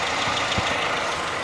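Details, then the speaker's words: Renault Sandero at idle: light, quick ticking over the engine note, a valve noise, alongside a louder noise from a slack timing belt; the gauge temperature fluctuation was traced to an earth cable. "rulho que estava fazendo e correia está fazendo barulho de válvula"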